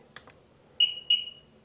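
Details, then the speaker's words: Sea-Doo, 285 hours, with many stored faults, right after a new tether key was reprogrammed: two faint clicks, then two clear high beeps. The long beep is suspected to mean a fault code, not confirmed; P1200 later appears. "I guess I I just reprogrammed the key that long beat afterwards must mean because a code uh so cuz I programmed up the new tether it worked fine but still long beep"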